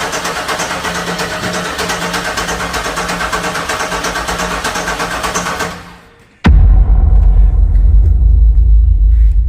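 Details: 1996 Chevy Impala SS, first start attempt after over 10 years sitting, fresh gas added, key lock bypassed: steady starter churn near four beats a second with no catching; crank no start, suspected low fuel pressure, not confirmed.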